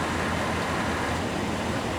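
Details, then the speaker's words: 1997 GMC Savana van, engine running during R134a AC recharge, about four cans added: steady even compressor hum and whoosh with no cycling, knocks or squeal; compressor now running much longer, normal. "compressor is running a lot longer. I kind of like that."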